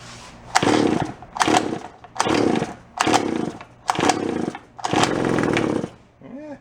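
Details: Japanese-made, landscaper-grade small engine found at a garage sale; the owner suspects the carburetor diaphragm has stiffened from ethanol fuel. Six short bursts of about a second each: it pops and catches briefly on each attempt, then dies. Hard starting after sitting.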